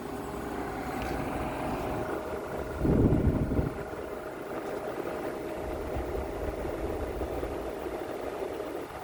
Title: New Ecoflow Wave 3 loose fan rattle noises